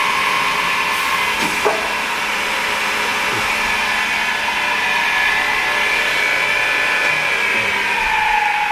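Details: Pistorius MN-200 double miter saw, 12-inch blade, wired 230 V 3-phase, foot-pedal actuated with dual pneumatic hold downs; steady high-pitched run with sharp clamp thumps as it cycles, no rumble; smooth, no bearing issues or air leaks.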